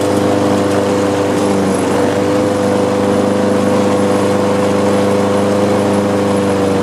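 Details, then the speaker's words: Lawn mower small engine at idle with a rough, uneven throb and buzzing shake, a bent crankshaft. It would start then shut down, nearly died, and picked up with throttle; the owner plans to check the carburetor bowl and blade. "okay let's prime it again now there is some vibrations going on"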